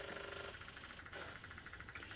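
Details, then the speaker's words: BMW K1200S running on 3 cylinders, ignition on with engine off: faint rapid buzzing pulses from the idle air control valve cycling; it is working normally. "I can hear the idle air control valve cycling, so I know that's working."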